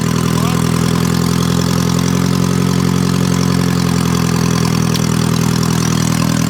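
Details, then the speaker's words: Junk car that had sat dead for some time, just resurrected to pull down a tree: steady low idle, even unbroken drone with no knocks or stumbles, running smoothly right after starting. "on guys the bayou blaster just started we brought it to life"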